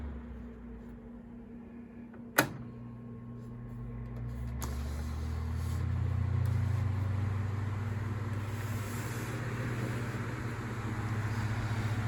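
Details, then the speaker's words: Galaxy 9-inch desk fan (model 2154 believed), with a motor the owner thinks is an old Sanyo motor: a click, then a low, even hum building as the blades come up to speed, steady with no rattle or wobble; normal running. "so the motor on this one has a different sound to it i think it's probably a better slightly higher quality motor i think it's a sanyo motor"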